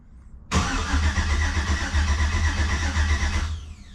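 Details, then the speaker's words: Yellow Jeep TJ with 5.3 engine swap, first fire-up attempt after pre-oiling, in park, rear driveshaft removed: starter spins steadily about three seconds without catching; no fuel heard, fuel line fitting size suspected. "Anything? We get anything? Oh, we got crankies."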